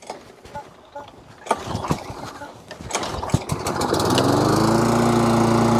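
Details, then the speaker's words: Webb mower with a Briggs & Stratton Classic engine, after a new pull cord, carburettor clean and spring work, having run jittery before: it fires and settles into a steady, even drone with a clean tone, running really well. "okay so it runs really really well"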